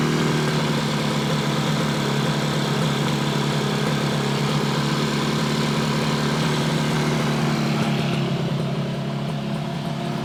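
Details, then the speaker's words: 1968 Yamaha YAS1C 125 two-stroke twin after carburetor cleaning, idling: uneven, stumbling beat; right cylinder fires maybe every other stroke, runs cooler and shows more oil, while the other side fires smoothly; misfire on the right bank. "still it just uh you can hear it it's not quite a steady fire it's a Miss fire this side's nice and smooth you get a hit every every stroke this one maybe every other stroke"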